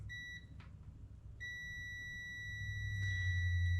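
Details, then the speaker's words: 2005.5 Audi A4 with a fuel door release fault: a short chirp, then a steady high continuity beep between pin 3 and pin 9 on the circuit from the release button to the door control module, reading 0.2 ohms. The circuit is intact and wiring is ruled out. "And again, we'll set this up and put it to continuity with an alarm. And this will tell us if we're good."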